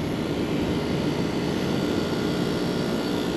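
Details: Packaged three-phase AC after swapping phases miswired by an electrician: compressor hums steady and smooth under the fan's rush, pressures now differing; pumping normally, condenser coil somewhat dirty.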